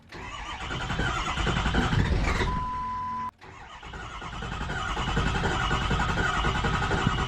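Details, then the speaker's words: Ford 6.0 Power Stroke diesel Excursion, first start attempt after oil pan replacement and refill with Mobil 1 5W40: steady starter cranking that never catches, pause, more cranking; cranks no start, owner suspected battery. "got nothing. And we had no luck. It was just cranking, no start. So I thought it was just a battery issue."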